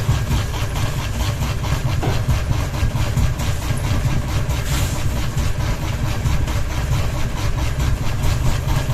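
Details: Ceiling fan running with only one blade and a ball hanging: slow rhythmic thumping about once a second over a low hum; unbalanced rotor wobbling on every turn.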